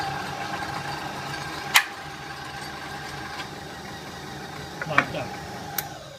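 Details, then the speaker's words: Kenwood Chef A701/A mixer on speed one with gearbox cover engaged (more load), centrifugal speed controller: steady motor hum keeps the same pitch while the cover is removed; governor holds constant speed normally. "now show you what I mean by the fact it will always run at the same speed a cover on that engages the gearbox which is more load"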